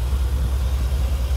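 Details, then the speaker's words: Chevrolet 6.0 V8 2500HD with over 300,000 miles after adding Marvel Mystery Oil and driving about half a mile: low, steady idle with an even rumble, the lifter ticking gone; a temporary band-aid repeated roughly every 1,000 miles. "nothing, quiet, no noise."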